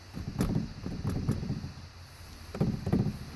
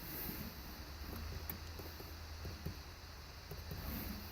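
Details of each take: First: 2001 Dodge Ram with replacement dash: scattered light plastic rattling from heat/air vents left unanchored since the new dash lacks their mounting screws. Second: 2001 Dodge Ram with replacement dash, heat/air vent after rubber padding was glued behind it: only a faint low hum and soft background sounds, no buzz or rattle; no rattle.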